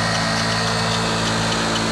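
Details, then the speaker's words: Carbureted Yamaha Mio Soul scooter running: faint thin whine at constant pitch from the final drive (gardan); suspected worn gearbox bearings, mild, not confirmed; CVT pulley also found slightly loose. "Nah untuk suara yang seperti ini yang tidak begitu besar kemungkinan bagian gearboxnya atau bagian kirinya tidak begitu bermasalah tetapi komponen gearbox sudah ada yang bermasalah Apakah itu bearing tapi analisa saya mengatakan adalah pada bagian bearing ya"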